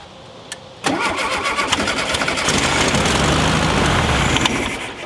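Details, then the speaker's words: Rare VW Super Beetle Baja Champions Edition, first start in years after setting timing: quick crank catches and settles into a steady, even chatter; engine starts and holds a stable idle. "Okay. So we know it's a runner."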